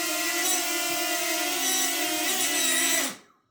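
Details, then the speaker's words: DJI Flip (Fly More combo) drone: high steady propeller buzz with a wavering, snoring or sneezing whistle that shifts in pitch and is heard clearly when the drone moves, then cuts off. Suspected factory issue, cause not identified, sent to DJI. "this is snoring this is snoring sneezes like this is the issue that I'm talking about so when I move the Drone I can hear clearly"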